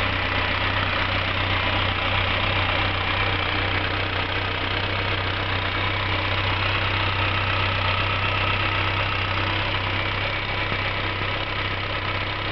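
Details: Skoda 120L engine, first start after rebuild: smooth, constant idle held evenly for over ten seconds with no ticking, hunting or misfire; normal idle.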